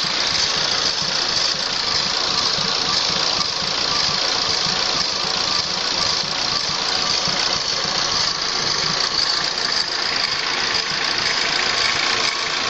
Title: Vacuum leak?